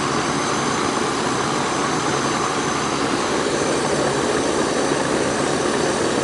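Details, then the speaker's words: Central air conditioning outdoor unit, running again after refrigerant was charged through the liquid line; the fault was a leaking Schrader valve core. Steady, even fan roar with a constant hum and no knocks or rattles. Normal running after repair. "it's back up and running y'all back up and running"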